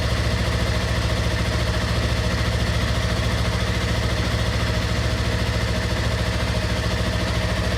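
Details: 2016 Yamaha R3 idling after oil and filter change with 2.5 quarts of fresh oil: smooth, even idle with a steady low thrum and no knocks, ticks or rattles; engine running healthy.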